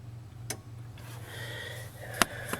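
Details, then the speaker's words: Ford truck with hidden self-resetting ignition kill switch, engine off, key on and switch pressed, camera close: quiet background with a few sharp single clicks; relay pulls in cleanly, normal relay click. "you can hear the relay click turn the key on find the switch you can hear it click on"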